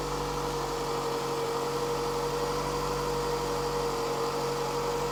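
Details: 2007 Toyota Highlander 2.4L after valve cover gasket, spark plugs, coils, PCV valve, position sensor and oil change: smooth, stable, even idle with no misses, knocks or ticks, and no leaks.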